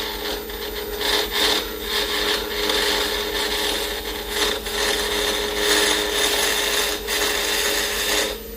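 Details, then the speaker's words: Acrylic pen blank turned on a lathe from a square block to round: a harsh rasping chatter with a buzzy hum and repeated bursts as the square corners strike the tool. This is an interrupted cut chipping the blank, which is expected until it is round. "remember it's going to sound like that because i'm making it i'm turning it from a square to a circle and once i get down low enough i won't be chipping my part off like that"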